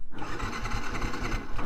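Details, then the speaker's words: Yamaha FZ motorcycle that won't start though it started on the ride over; owner shuts off the fuel and waits for fuel to drain down. Starter churns steadily for two seconds without catching; cranks but won't start, cause unconfirmed. "ഇതിൻ്റെ പ്രശ്നം എന്ന് പറഞ്ഞാൽ ഇതാണ്, സ്റ്റാർട്ടാകത്തില്ല."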